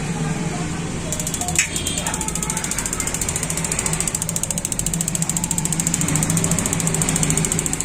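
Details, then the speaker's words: Gas geyser, not starting due to inlet water pressure/sensor, now with the sensor output wired through a switch: when the sensor is toggled, the igniter coil ticks sharply about 3.5 times per second, the LED glows and both lighters work. Normal igniter spark ticking. "तो हमारी डब्बी भी यह जो coil है वो भी आवाज टक टक आवाज आ रही है और हमारा एलईडी भी ग्लो हो रही है"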